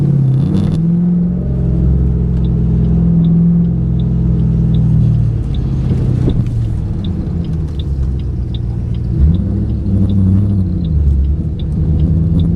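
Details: 2008 Ford Mustang GT on a drive after MSD Blaster coil-on-plug set replaced coils (dealer reported 5 bad); previously it began misfiring by this point: deep, even V8 rumble swelling smoothly with throttle, steady on cruise, no stumble or skip.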